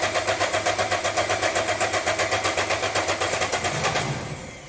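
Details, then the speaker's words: Diesel car just restarted after a valve stem seal and head gasket repair, a camshaft bearing bolt snapped, battery at 12.3 V, fuel system purged of air: hard, even metallic knock about four per second until shutdown; owner rules out the injector, suspects terminal engine damage. "in fact yeah the system looks to be purged of air so i don't think that's a knocking injector i think that's a [Music] terminal engine damage really"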